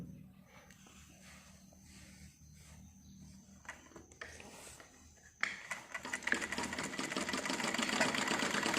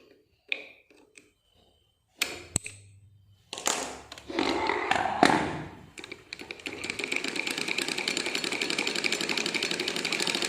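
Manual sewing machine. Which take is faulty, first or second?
second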